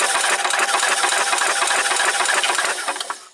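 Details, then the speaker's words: 1990 Club Car golf cart engine, spark plug removed and a wire unhooked from the coil: even starter chug of about three to four beats a second that never catches, then winds down; cranks with no spark. "no spark um let's unhook the CH wire off of the coil just in case we'll try this again still nothing"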